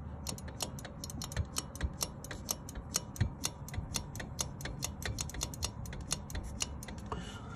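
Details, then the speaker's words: Furnace not turning on: pressure switch hose removed and blown through, then blown and sucked by mouth to cycle the diaphragm, giving rapid sharp clicks about five a second, a normally cycling switch that may stick after sitting. "if you could hear that clicking that was me blowing so sometimes the switch will get stuck inside so you could basically as the gentleman in the video was saying you can exercise the diaphragm back and forth in case it's got you know stuck in place after sitting for some time"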